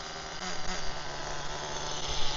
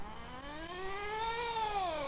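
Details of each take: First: HPI Firestorm nitro RC truck, warmed up, after fitting a missing spacer that caused stalling: high thin buzz at quarter throttle, smooth with no sputter; normal part-throttle running, still needs tuning and may bog on return. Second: HPI Firestorm nitro RC truck, warmed up after tuning, new clutch shoes; high buzzing engine note climbs then sags and drops in pitch under load, engine bogging and stalling, still needs carburettor tuning.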